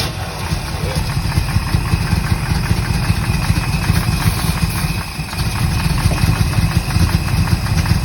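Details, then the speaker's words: 1964 Corvette just bought, old stale fuel, on a jump box and started with a start button: deep lumpy idle with uneven firing pulses, hunting; rough idle, fuel leaking from the carburetor, likely its accelerator pump. "It sounds like shit, but it runs. Yeah, she definitely needs some love."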